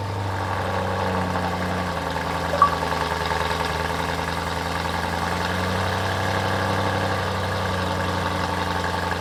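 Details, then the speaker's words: BMW M3 E92 started after over 1.5 years parked on a CTEK MXS 25 charger, last driven November 2019; smooth, even idle with steady low hum, no knocks, misses or rattles, healthy engine. "so the answer is yes i guess as you just saw the charger looked fine and hasn't melted down the car started just fine which i'm rather surprised if i'm totally honest and all seems well"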